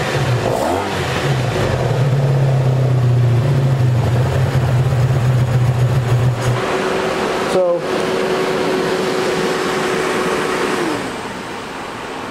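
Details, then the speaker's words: 1984 Honda Saber VF700S V4 after long storage, with the radiator fan working: smooth, even idle with a steady beat and no knocks or misses; purring. "have to do a little bit more research on that but yeah she uh she's purring first time"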